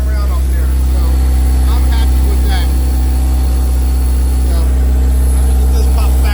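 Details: Mitsubishi 4G63 (Evo 8) four-cylinder swapped into a 1980 Porsche 911, first start, idling. Steady, even idle with a deep, regular pulse of about four beats a second, no knocks or misses. Normal idle; oil reaches the rockers though the gauge reads nothing.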